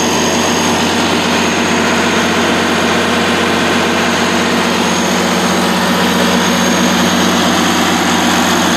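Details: 2002 Kohler 100 kW (125 kVA) standby diesel generator, 320 hours, regularly serviced, no muffler, 480 V three-phase: loud, steady diesel drone with even firing, starts immediately; normal running.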